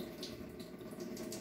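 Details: Washing machine with a single water inlet keeps filling with the tap open even when switched off and unplugged; a steady hiss of water runs into the drum because scale (tartar) holds the solenoid inlet valve open.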